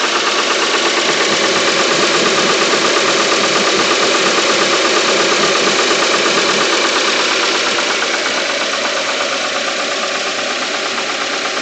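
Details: Engine running RON95 fuel with NGK Iridium spark plugs, at idle: a steady, rapid knock at about three per second rides over an even idle. The owner is unsure whether it is engine knock or an IAFM problem.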